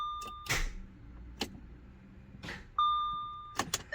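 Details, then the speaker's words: 2009 Audi A6 3.0T, starter recently changed, single heavy clunks about once a second with dash chimes and no rotation: starter engaging against a seized engine, as owner suspects, starter not fully ruled out. "It's cranking. Something's bad. All right. So as I'm turning the ignition over, I can hear the starter engaging and I can feel it. You can actually feel some twisting. So something's seized."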